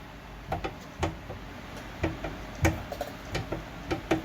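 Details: Nissan Sentra of this generation, front end sounds like it will fall out, banging over bumps: sharp irregular metallic clunks as the front subframe is pried with a bar, from worn subframe bushings; subframe sitting on the rail.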